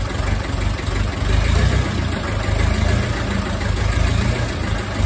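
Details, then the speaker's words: Ferguson TEF20 vintage diesel tractor, sat over ten years, restarted after bleeding air from the fuel system: a steady, low diesel chug at idle with an even beat, no misses or hunting, running cleanly. "well that answers that question didn't it will start again"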